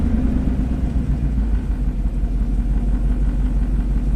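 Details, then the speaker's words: 2003 Chevy Silverado 3500 dually dump truck, 6.0L Vortec gas V8, 40k miles, at idle: low lumpy idle with uneven stumble; scan counts misfires on cylinders 1 and 8, but firing order 1-8-7-2-6-5-4-3 points to a single-cylinder misfire on cylinder 1. "looks like it's mostly on cylinder one and that's because you want to take a look at your firing order one eight seven two six five four three so if number one is misfiring sometimes the crankshaft position sensor picks up that number eight is misfiring"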